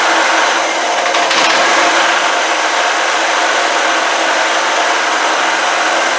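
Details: Old generator, stored about 10 years, carburetor float freed to stop a gas leak, started on half choke: a small single-cylinder engine at a steady fast drone with no knocks or stumbles, settling into an even run; normal running.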